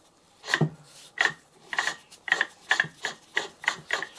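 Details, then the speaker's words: Porsche 911 (996) Carrera 4S alternator, removed, pulley held and turned backwards: dry ratcheting rasps, two to three a second, speeding up, as the overrunning pulley clutch freewheels normally; these usually seize. Alternator whined, being replaced. "These usually seize solid and that's the problem. So the clutch is just slipping a bit there, which is what it should do."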